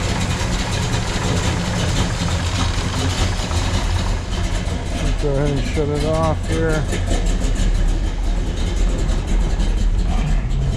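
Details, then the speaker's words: 1969 Chevrolet Chevelle SS, 396 V8 bored .020 over, solid lifters, roller rockers, chrome headers, four-speed out of gear, just after cold start: deep, steady exhaust rumble, even beat, no misses, knocks or smoke; engine sounds good. "listen to the exhaust has that nice Rumble sound to it no smoke coming out good thing is that Rumble to go around listen to the engine sounds good"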